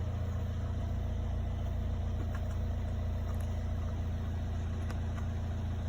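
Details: 2018 VW Touran 2.0 TDI 190 HP, after a no-start with many dash warning lights fixed by replacing relay 4H0951253A: diesel settles into smooth, steady idle with even low beat, no knocks or misses; normal idle.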